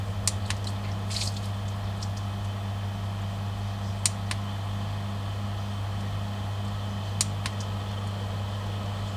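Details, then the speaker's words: New Superfish Eco Plus RC 15000 pump on a fry/quarantine tank, being stepped through power settings; steady low hum with faint clicks, no rattle or grinding, tone changing abruptly with a jolt between settings; running healthy. "It really changes power quite abruptly. You can really hear a jolt when it changes."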